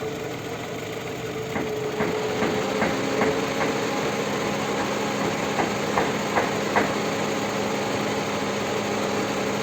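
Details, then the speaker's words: Toyota Camry (30 body) after an outside engine repair: steady idle with light clicks; activating the variable valve timing solenoid with the scanner should stall the engine, but it keeps idling, so the cam timing isn't responding. "при активации видите она не работает то есть все знаете да кто следит за моим каналом что четырехцилиндровый двигатель при активации витя кукушка двигатель должна заглохнуть"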